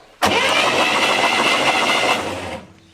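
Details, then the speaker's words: 1966 Chevy Corvair, barn find idle about 20 years: starter churns steadily, never catches. No spark at the coil wire; points likely need cleaning, or the coil or its ignition feed is bad. "no spark so what that tells us is that either our coil is bad the ignition feed to the coil is bad or our points probably need to clean"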